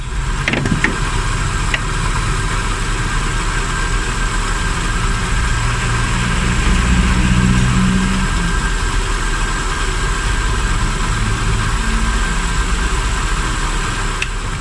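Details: Hyundai Getz petrol 12-valve after coolant temperature sensor replacement and coolant refill, started before warm-up; catches quickly and settles into steady, even idle with no stumbling or hunting; normal idle.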